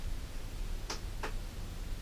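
Two quick, faint clicks about a third of a second apart over a quiet room; sounds like a relay dropping out as power cycles. Cause suspected, not confirmed.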